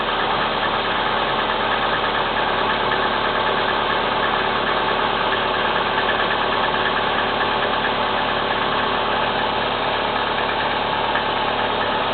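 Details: Kia Spectra 1.6 petrol engine knocking at cold idle: a steady tapping knock about twice a second runs through the idle, source not pinned down.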